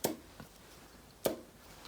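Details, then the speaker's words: Lotus Elan +2 engine out of the car on a stand, sump off: sharp dry metallic clicks about once a second as the crankshaft is rocked fore and aft, suggesting possibly excessive end float, still to be measured. "is you can there's quite some play and or some end float um there needs to be some inflow obviously but i need to measure that just to make sure it's it's intolerant"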